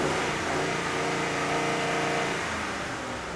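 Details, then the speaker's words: Engine held at wide open throttle with a drive-by-wire rev limiter active, so MAF and TPS don't go fully open. The engine surges and cuts in an uneven rhythm, bouncing off the rev limiter, then drops away. "Now when the engine was revving like that, you kind of heard it bouncing off of the rev limiter a little bit."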